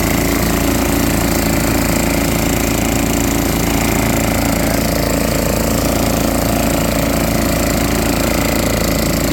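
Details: Junkyard machine, next day on fresh gas after difficult starting, running normally: a small engine chugs at a steady rapid beat of about four pops a second, holding speed evenly.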